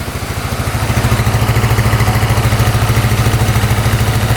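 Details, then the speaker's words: 2010 Polaris Sportsman 550 EFI single-cylinder ATV after cutting open a blocked case breather line: revs then returns to a steady, even idle with no misses or knocks, now running well. "Come right back down to idle. Huh? Well, I think we fixed it. We're let this idle for a bit, but yeah, sounds pretty good."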